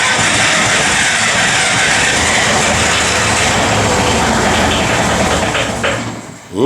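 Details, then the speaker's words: Bobcat 743 diesel after glow plug replacement and re-bleeding the fuel lines; long steady cranking that almost catches but never runs before the starter drops off. Owner suspects air still in the lines; it later started after more glow plug heat. "hang on a minute that's progress I've never had it start like this before so there must just be a little air in the lines"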